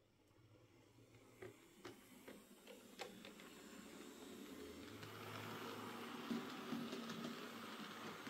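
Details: Hornby J15 model locomotive after new motor fitted (originally slow and noisy since new), running out on layout track: light rail-joint clicks, then soft even motor hum; much quieter and smoother.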